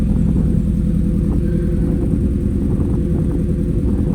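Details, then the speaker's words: Ford Focus RS idling: steady low idle with an uneven, lumpy beat and irregular dips like a cylinder dropping out; owner suspects a misfire, cause unknown, after it ran sweet days earlier. "It's running really, really lumpy. I don't know why. It was running absolutely sweet the other day. So, it almost sounds like it's missing."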